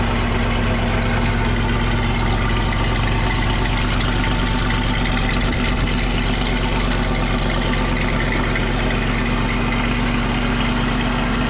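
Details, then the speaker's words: Land Rover 101 Rover V8 idling with a steady, even low burble after replacing the belt tensioner pulley bearing; no squeal or rumble from the belt area. "I just love the sound of that Rover V8."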